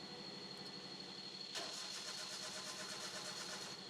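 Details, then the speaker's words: Petrol car cranking with the cam sensor unplugged as a demo: starter cranks at about three beats a second but the engine never catches, with code P0340 (camshaft position sensor A circuit) and the warning light staying on. "Cam position sensor ഊരിവിട്ട അല്ലെങ്കിൽ camp position sensor work ആയില്ല എന്നുണ്ടെങ്കിൽ വണ്ടി start ആകില്ല"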